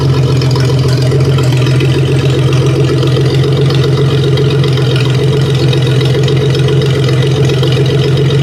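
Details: 1956 Dodge 230 flathead six running on an engine stand, just fired up: slow, deep, even idle on open exhaust with steady loudness and no knocks or misses; healthy, with good oil pressure.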